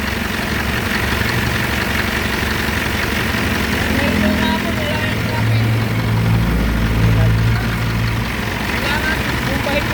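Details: Isuzu 4HF1 diesel with white smoke, shaking and stalling in traffic: uneven, lumpy, skipping idle; misfire from fuel starvation through a dirty, clogged fuel strainer and filter, which are being replaced.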